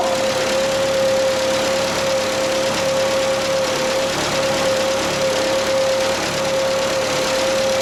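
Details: Bobcat 632 engine after the blow-by repair with new piston and rings fitted: steady idle with a constant mid-pitched tone, smooth and even, no puffing or ticking from the exhaust; running healthy.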